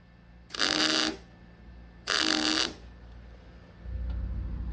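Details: MIG tack welding a Mark IV Ford Escort body onto a Mazda MX5 chassis for an RWD body swap: two harsh fizzing half-second bursts giving too thick a bead. Welder suspects wire speed is a bit high.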